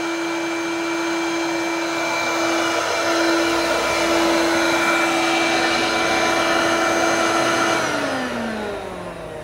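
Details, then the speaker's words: Hoover Turbopower Freedom upright vacuum on high (position two); steady high motor whine with no brush slapping underneath, winding down at switch-off; brushroll not spinning, belt probably snapped or severely stretched. "I think the brushroll isn't spinning shall we have a look no no brushroll so the belts are the severely stretched or snapped"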